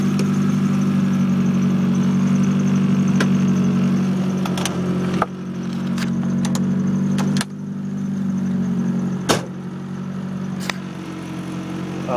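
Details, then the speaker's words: 1993 Mazda Miata with Nissan SR20DET swap, cams and 3-inch straight pipe: deep, steady idle with throaty exhaust burble, no misses or knocks; healthy but loud. "With the cams and the 3-inch straight pipe, the car is a little bit louder. It's not unbearable, but you know, it's actually sounds pretty nice."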